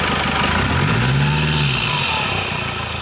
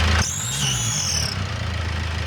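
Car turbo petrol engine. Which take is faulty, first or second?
second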